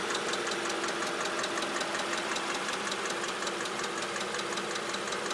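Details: Mercedes CLK 500 at idle with a crisp, even ticking close to three per second. A top-end tick whose source is not yet pinned down.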